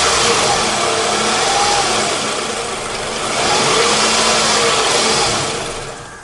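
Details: Car started after the alarm was muted and the battery cable reconnected: engine revs up cleanly, eases off, rises again smoothly without stumbling or misfire before dying away; runs normally.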